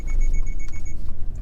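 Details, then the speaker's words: Subaru Forester in S/SI drive pulling away for a 20–60 mph test: rapid run of high, shrill beeps, about eight in under a second, over low engine and road rumble; warning beeps every time it pulls away. "Okay, we're in S drive or SI drive."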